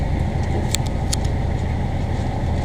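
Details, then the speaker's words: Newly installed diesel in a Morgan 41 Out Island sailboat, just started by the owners: steady low idle with an even, unbroken beat and a couple of faint high clicks; owners find it noisy but it sounds healthy. "sounds kind of funy though it sounds good so far that's noisy well we may have to put some soundproofing in after all maybe I'm just not used to hearing an engine"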